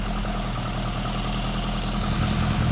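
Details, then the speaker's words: Barn-find Lotus Elan Sprint big-valve twin cam, off the road 33+ years, just restarted: smooth, steady low idle with even beat on half choke, no knocks or misses. Normal idle on half choke. "Back the choke off. That's choke half on."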